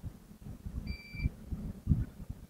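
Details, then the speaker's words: New APR MIG 135 welding machine rectifier tested with multimeter: one short beep of about a third of a second then silence, the meter charging the input capacitor; diode bridge and path fine, no short. "Itu bunyi bip karena dia mengisi elco. Setelah itu tidak ada bip lagi normal."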